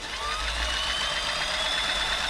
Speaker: you can probably hear it's actually a lot quiet already the microphone pick that up